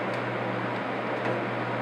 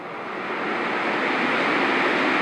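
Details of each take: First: Honeywell HCM-6009 humidifier fan at lowest speed: steady low electrical hum under airflow, not from fan imbalance but motor frequency vibrating the housing; louder with reservoir fitted, disappears when motor is off while fan coasts. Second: Honeywell HCM-6009 humidifier fan at full speed after rebalancing with a repositioned dime counterweight, motor resting on the ground; even rushing air with no wobble or rhythmic thumping, almost no vibration, much improved over before.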